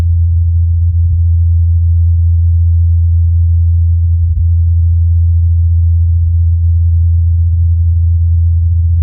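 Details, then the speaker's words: Ingenuity Mars helicopter on its fourth flight, recorded by Perseverance in Jezero Crater: constant low hum, a steady deep tone from the rotor blades; normal flight. "Incredibly, during the helicopter's fourth flight, Perseverance recorded the humming of the blades."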